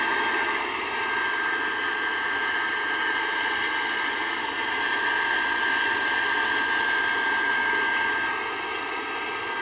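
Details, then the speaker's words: Old Burnham boiler with conversion burner, rewired to the high limit only (set 120/180): steady, even burner roar with a constant high-pitched tone, no sputtering or cycling, now running normally. "yeah she's running now"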